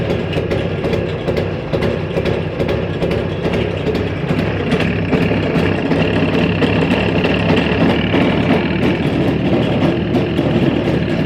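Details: Jawa 350-638 two-stroke: sharp regular tick about three times a second over the running note; abnormal mechanical noise in the engine, cause undetermined.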